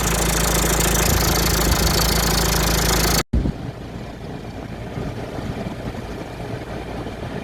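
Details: Citroën C4 Picasso 2016 at idle, before repair: steady loose metallic rattle that had grown louder over time; gone with the belt off, returns with it on; new auxiliary belt tensioner fixed it.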